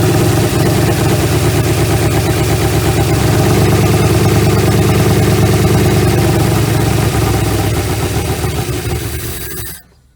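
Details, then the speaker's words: 1956 Ford Customline V8 292 Thunderbird engine, Holley four-barrel teapot carburetor, off the road 50 years, first run: loud lumpy idle stumbling then settling, one cylinder misfiring; owner suspects sticky valve; won't rev well, carburetor suspect. "i think we had like a sticky valve or something on there because i missed there for a minute and then started firing okay"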